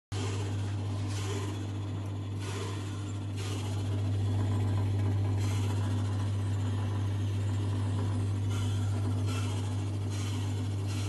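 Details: Potterton Suprima gas boiler, customer's recording before service: loud, steady low hum with rough rushing, bubbling (kettling, whistling, wheezing heat exchanger); fixed by servicing, stripping and flushing the heat exchanger.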